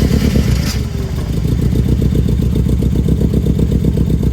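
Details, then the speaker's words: Mazda NA Miata MX-5 first start after a camshaft swap: runs lumpy and uneven, misfiring with irregular low pulses around four per second and no steady beat; ignition timing not yet set. "Okay it definitely needs ignition timing yeah it does hang on dude this thing's gonna run dude"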